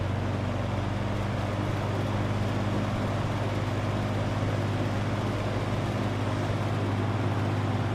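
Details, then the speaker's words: 1963 GE F15W13 electrically reversible box fan, running on medium and then switched to high; smooth even whoosh of air over a low steady motor hum with no ticking or rubbing, quiet and smooth; normal running. "These old fans really move the air, and they're quiet and they're smooth."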